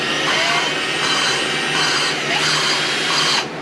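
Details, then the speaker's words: Old Craftsman lawn mower engine valve lapped with a drill, compound on the valve face: steady drill drone with a harsh gritty scrape as the compound cuts the seat; the sound changes once the compound is spent. "you hear that grinding that's the compound working basically you don't want it to just sit there"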